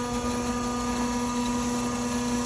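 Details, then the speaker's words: Propane fuelling pump running loudly while filling a Ford Econoline 450 21-passenger minibus: a steady hum holding one even pitch, no surging or rattle; normal propane pump running. "Je vais m'éloigner juste parce que c'est bruyant, mais on prend tout le temps des gants pour tanker à propane."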